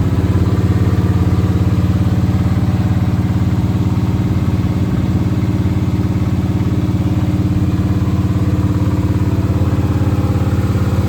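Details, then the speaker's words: Monte Carlo SS first fire-up after an engine rebuild (stock cam, about 300 hp, new battery cables): fires and settles into an even, deep V8 idle with a steady pulse and no knocks or misses. Sounds healthy. "The car it fires right up I'm talking about a man and it sounds great. Sounds good don't have a cam in it."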